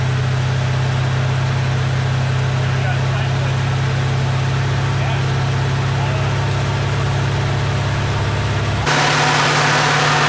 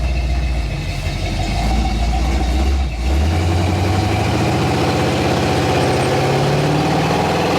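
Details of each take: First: AMC 360 V8 just rebuilt after a lost cam, with new Summit 8600 cam, lifters, timing set, bearings, Edelbrock carb, HEI distributor, ZDDP oil: deep, steady 900 rpm idle with an even rumble, no knocks, misses or ticks; oil pressure 25 versus under 10 before; normal idle. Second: Freshly rebuilt AMC 360 (new cam, Edelbrock carb) on its first drive holds a high idle from a stuck throttle, then the pitch drops when freed with a blip; return spring too weak, needs a double spring.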